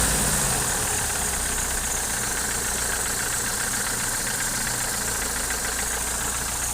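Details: Opel Omega A with C20NE engine, hydraulic lifters already replaced: steady idle with faint rapid tapping knock about three or four a second over hiss; source not yet identified.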